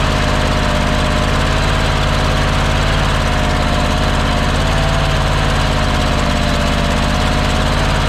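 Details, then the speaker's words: Engine that sat for years, running after welding its broken flywheel ring gear and replacing a flywheel magnet, started with gas in the carburetor: steady low thumping idle, no knocks, stumbles or hunting; normal idle. "wow that sounds a lot better than i thought it would"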